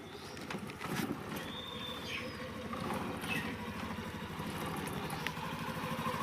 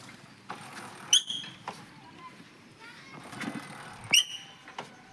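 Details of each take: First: Splendor Plus BS6 motorcycle idling with the rear brake applied after cleaning and wheel refit; steady engine, no more of the earlier "shu shu" brake noise or squeal. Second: Splendor Plus BS6 motorcycle, rear drum brake applied while riding: two short high-pitched squeals; brake shoes became slick (glazed) after getting wet, causing the noise.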